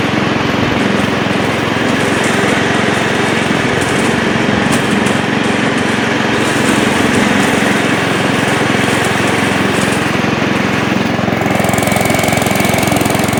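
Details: Old Montgomery Ward Power Kraft riding mower, no air filter fitted, blade engaged and cutting: small single-cylinder engine pulls steady and even with no misses, knocks or hunting, despite earlier stutters in gear; healthy running under load.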